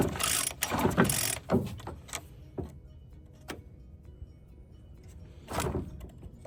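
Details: Free found Bolens BL160 string trimmer with new plug and/or fresh fuel, air cleaner off, cranked to check spark: several quick pull-cord spins turning freely, never firing; cranks but won't start, cause suspected, not confirmed.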